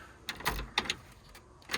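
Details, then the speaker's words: 1957 Chevy Bel Air on its first start attempt in 15+ years, battery on charge: a few sharp isolated clicks with no cranking; starter clicking because the battery is no good. "Oh, the battery's no good."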